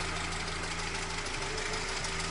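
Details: Chevrolet with a light, steady ticking knock over an even idle from the throttle body area; advice is to remove the intake manifold and replace the throttle shaft and plates, suspecting play in the worn shaft.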